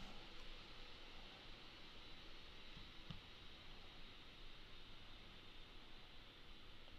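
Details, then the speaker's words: Alienware m15 R3 (4K OLED) laptop, fans at high speed: steady airy rush with a faint thin high whine, no grinding or ticking. Normal, nothing alarming. "m15 if you can't hear it there's a slight whine in it but it's not again it's nothing to be alarmed about"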